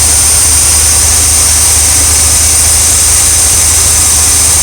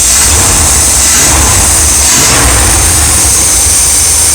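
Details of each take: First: RV V8 engine with an all-new ignition system and ignition module, which had been stalling when stopped: a steady, even idle with no stumbles or shaking, better than before. It sounds healthy; not yet road-tested. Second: Old V8 in an RV with an all-new ignition system including the ignition module, which still wants to stall when stopped. The idle slowly rises and falls, hunting back and forth instead of holding steady; surging idle, cause not confirmed.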